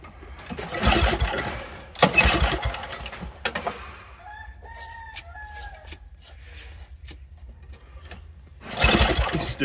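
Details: Old Toro snowblower that sat over a year, fuel just turned back on with the carburetor dripping: rasping recoil pulls, the engine coughs, runs a second and dies, never holding a steady run; flooding suspected, cause unconfirmed.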